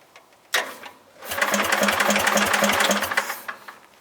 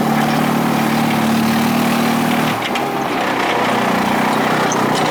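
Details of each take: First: Bolens GroundsKeeper lawn tractor, cold start after sitting (fuel possibly leaked out): small single catches after a false start, then runs with a ragged, uneven chuffing beat before fading; rough running, owner suspects the carburettor. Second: Bolens GroundsKeeper with a Wisconsin single-cylinder engine, cold start at about 30 degrees: after a rough start it settles into a steady, even idle with no misses or knocks; it sounds healthy.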